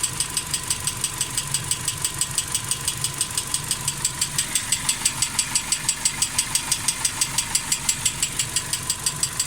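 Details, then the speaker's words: Engine idling smoothly, then after about 1.5 minutes sharp even ticking about twice a second appears over steady idle; hydraulic lifter knock. "Вот начал. Слышно? Почти 1,5 минуты прошло. Вот он начинает стучать."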